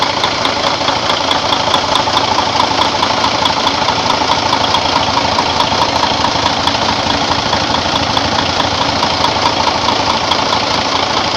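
Even diesel clatter, roughly a beat and a half per second, steady and unchanging at idle; sounds like a healthy engine.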